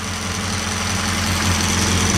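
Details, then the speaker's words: Crosley four-cylinder idling on a hot day with a freshly filled tank: even, steady idle with a smooth unbroken beat, no knocks or misses; runs like a kitten, though its brakes are weak. "the gas tank was under the seat really the thing runs good HS like a kitten but she don't stop too"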